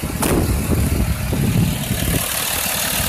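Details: 2004 Dodge Ram 2500 SLT 4x4, 5.9L diesel, 6-speed manual, clutch replaced 10,000 miles ago, no check-engine lights: steady low clatter at idle with an even rhythm and no misses or knocks; a healthy idle.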